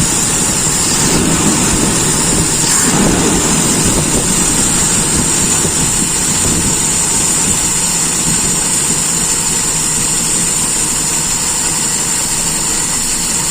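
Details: Toyota Kijang with a 5K carbureted four-cylinder, testing an original used carburetor; PCV and timing adjustment questioned. Steady idle with an even beat, nothing knocking or missing; runs smoothly and sounds strong.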